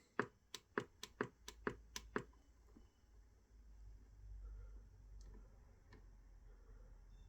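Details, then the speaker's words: Colt Black Shadow radio, initial inspection: eight quick relay clicks about every quarter second as it switches to weather band, then only faint hiss with no signal; owner suspects a problem with the weather board inside. "Something's up with that weather board inside. I hear it changing over, but it's just not receiving."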